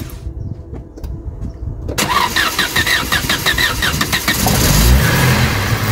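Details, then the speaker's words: Vauxhall Cavalier Mk2 after fitting a new distributor cap and rotor arm (previously hard starting and missing until warm): starter cranks about two seconds, engine catches and settles to a steady even idle; normal start and idle. "Rightio, let's see if it fires up now with the new cap and rotor arm. It should start a bit easier now, so fingers crossed."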